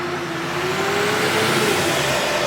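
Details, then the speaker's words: GM L5P Duramax with Allison 10-speed transmission: in reverse the engine revs hard, rising in pitch, yet the truck barely moves; slipping reverse, later traced to a failed piston apply seal for the F clutch. "You hear how much I have to rev that sucker and it barely even goes? It does not like reverse one single bit."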